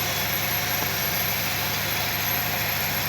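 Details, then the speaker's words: Nissan Qashqai, engine idling in gear with the parking brake on and one front wheel spinning freely; a thin, steady high whistle comes clearly from the front wheel hub; disassembly needed to confirm the cause. "Ага свист идёт отчётливо слышно с передней"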